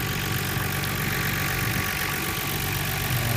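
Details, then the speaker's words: Nissan R32 GTR six-cylinder after vacuum leak repair (gaskets replaced, AAC valve adjusted per service manual), cold, idling about 950 rpm, heard from the other side of the engine: quiet hum with faint irregular light tapping; owner unsure if it's a knock or normal. "ut now I hear some kind of close to KN I don't know it doesn't sound like a KN it's not enough though"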